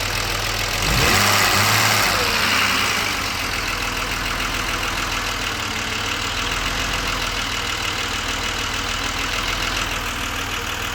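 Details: BMW 635CSi E24 under investigation for rough cold and warm idle, with the air hose refitted to the throttle body, at 80% operating temperature: the warm restart catches quickly and settles into a steady, even idle with no stumble.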